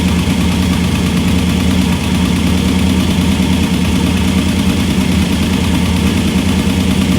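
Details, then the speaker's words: Engine of the car Eileen running again after rebuild work, a leaking ARP head bolt since snapped off: steady, even idle with a smooth low rumble and no knocks or misses; sounds good, normal idle. "now you can see it runs hmm that's about it sounds good"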